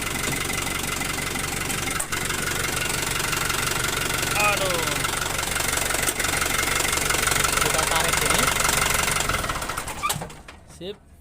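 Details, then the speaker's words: Toyota Dyna diesel keeps running steadily after key-off and won't shut down; the vacuum stop isn't pulling fully, only halfway, as vacuum doesn't reach it; it dies about ten seconds later when stopped by hand at the lever or three-way valve. "Karena memang vakumannya itu nggak nyampe ke sini, intinya sih begitu. Jadi dia itu narik tapi setengah-setengah gitu."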